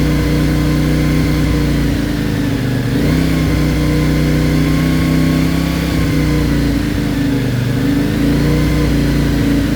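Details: CFMOTO Ibex 450 warmed to 180°, held on cruise control around 3500–4000 rpm before ECU tune: uneven hunting note as engine surges and jerks between 3500 and 5500 rpm instead of holding steady.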